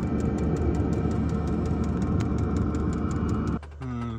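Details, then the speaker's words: Webasto engine preheater on a self-converted Ford Transit campervan at -34°C in Arctic Finland: its fuel pump ticks steadily, nearly four a second, over fan rush, but there is no ignition whoosh and it blows cold air. Owner suspects frozen or gelled diesel. "Still no life in the diesel heater, just pumping away."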